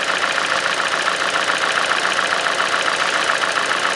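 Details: 2.0 engine (Hyundai/Kia) first start after timing chain, sprockets, VVT solenoids and exhaust camshaft replacement: lumpy idle with irregular pulse about three to four beats a second, gradually smoothing; earlier clacking gone, cause uncertain.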